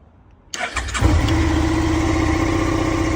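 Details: Suzuki SV650 after rebuild and ignition repair: short crank, catches within half a second and settles into a steady, even idle with no misses or knocks; healthy start.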